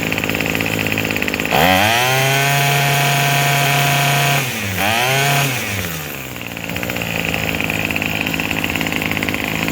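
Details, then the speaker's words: Craftsman 27cc two-stroke string trimmer, made January 2013 and obtained free, re-started after an earlier sudden stall: it fires up and revs with a high buzz, dips briefly, then drops to a steady idle that keeps running; normal running and idle, though it is smoking. "Let's give it a try. sounds pretty good."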